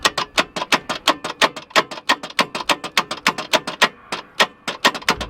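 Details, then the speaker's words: Mazda 1500 wagon with Mazda 4-cylinder and twin carbs, key does nothing, starter arced directly on flat battery and jump pack; sharp steady ticking about five a second, engine barely turns; suspected seized motor, not confirmed. "Righto, so the key does nothing. Leith's now going to just arc the starter motor to see if the motor's seized. See if it'll turn over. It's seeming very seized to me."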